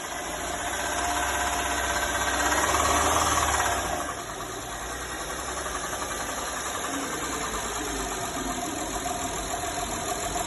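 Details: Engine knock appearing at 1500–2000 rpm: steady ticking about four per second, louder as revs rise; valves adjusted and timing gear fine, front camshaft's 6th lobe worn in places.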